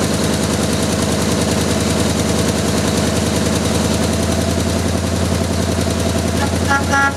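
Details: Jeep M715 army truck, fuel injection swapped for carburetor, first start after years sitting: loud, steady, slightly lumpy idle around three to four beats a second, no knocks; engine runs after long storage.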